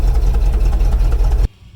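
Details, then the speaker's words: Lifted 1967 Cadillac DeVille V8 on 39.5" Super Swampers: deep, lumpy idle rising and falling unevenly before cutting out; it needs tuning or rebuild. "yep Cadillacs not very happy with us"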